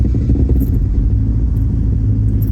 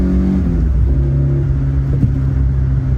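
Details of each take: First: Toyota AE86 GTS with a new engine and Haltech Elite ECU tune: a weird start, then a lumpy idle with a loose metallic jingling exhaust rattle, which sometimes stops after revving. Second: AE86 GTS with built 16-valve engine on a newly tuned Haltech Elite ECU, accelerating through gears to the 7,500 rpm redline: clean pull with a steady, even note, no stumbles; the earlier hesitation and misfire-like feel are gone.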